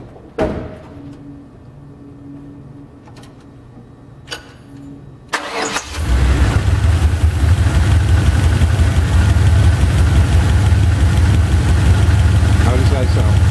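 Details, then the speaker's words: Chevy 350 V8 just after driver's-side valve lash adjustment with engine running: cranks and catches into steady, even idle with no valvetrain ticking, much quieter than before the adjustment. "bad quiet fairly quiet actually a lot better than you used to"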